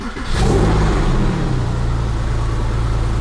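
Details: Porsche 911 Carrera 996 after alternator replacement: quick crank, clean catch and brief rev, then smooth, even idle; alternator charging around 14 volts. Normal start and idle.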